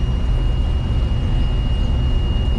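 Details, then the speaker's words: Corn combine elevator restarted after being stuck: even low rumble with faint constant tone and no clicking or ratcheting from the chain; elevator running clean. "okay so listen starting to turn okay don't hear any clickety clicky clack"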